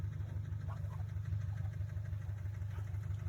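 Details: Subaru STI, 38,000 miles, Cobb Accessport and intake, idling with a deep, regular knock about three times a second under the boxer rumble. Suspected rod knock; the oil pan is to be dropped to check.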